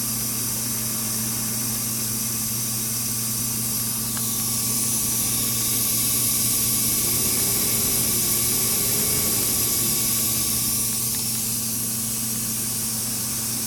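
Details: DFI LANPARTY UT nF4 SLI-DR Expert socket 939 motherboard: constant high airy hiss over a low steady hum, unchanging; board hissing, cause not identified.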